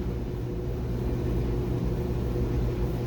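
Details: Dryer that had a high-pitched continuous squeal, test run after reassembly with the idler pulley refitted and oiled: steady low drum rumble with no squeal or chirp for several seconds. Normal running.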